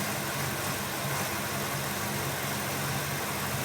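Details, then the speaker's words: 1995 Ford Mustang SVT Cobra idling with new idle sensors: engine note rises and falls unevenly over a few seconds, a hunting, surging idle; vacuum leak suspected, intake being removed to search. "but that's the that's the surge right there you heard the engine going up and down it's compensating through the sensors"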